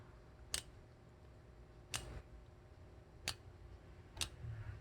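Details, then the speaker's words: New 8-speed road bicycle, front chainring on inner and rear sprocket on the outermost cog, cranks turned slowly by hand: four sharp isolated ticks as the angled chain drops and brushes the neighbouring cog; a known trait despite correctly set derailleur. "이렇게 툭하고 떨어질 때 이 옆쪽에 있는 코 그와 스치는 소리가 나요"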